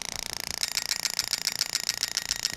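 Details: 89-91 Toyota Celsior 1UZ-FE plug-and-play harness for an IS200 with J160, bench test mode, injector 7: crisp, even clicks about seven per second, steady rhythm, no misses; a healthy injector firing.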